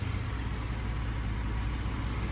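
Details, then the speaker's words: 1992 Chevrolet Silverado TBI after K&N cold air intake install: steady, even low rumble at idle with no knocks, misses or whine, intake air sucking audible; normal idle. "I recommend this canon in 10 out of 10 you can hear the air sucking [Applause] in ah she sound beautiful man"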